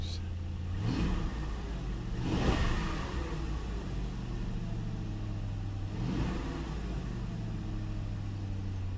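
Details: Ford Town Car V8, a daily work car, after replacing a bad coil pack on cylinder #8 that had misfired: smooth steady idle with a few clean throttle blips rising and settling evenly, no miss; normal idle.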